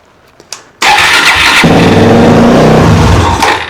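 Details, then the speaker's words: Single-cylinder motorcycle, first start after carburettor rebuild with new accelerator pump diaphragm, fuel leak fix, on choke: brief crank, fires at once, holds raised slightly lumpy choke idle; normal start. "Okay, she fires."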